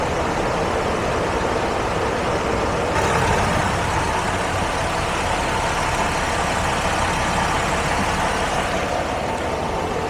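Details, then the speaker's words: 2011 Ford Escape with over 200k miles, A/C recharged after replacing leaking Schrader valve cores, engine running: steady blower hum, and the compressor cuts in quietly without grinding, rattle or whine; normal A/C compressor operation. "AC compressor sounds nice and quiet, no noise coming out of it."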